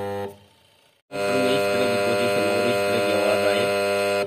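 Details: Washing machine wash motor (LG mentioned) gives a loud, steady electrical hum with a buzzy edge, starting abruptly and holding even; motor humming abnormally, next tested with belt removed, cause unconfirmed.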